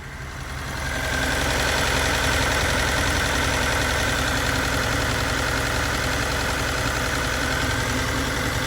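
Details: Abandoned turbo Datsun 280Z, first run after rewiring: steady idle with a fast, light tick of about three or four a second on top. Owner suspects the injectors, not confirmed.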